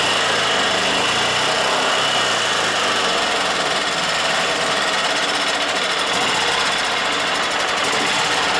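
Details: Yamaha G2 golf cart after carburetor, air filter and spark plug tune-up; steady fast chugging crank continuously without catching while the piston-driven fuel pump primes.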